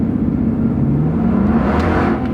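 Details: 2008 Toyota Tundra bought for $900, four-wheel drive inoperative so rear-wheel drive only, hard take-off from a stop with rear tires spinning: deep steady rumble rises smoothly with no knocks or misses; healthy pull.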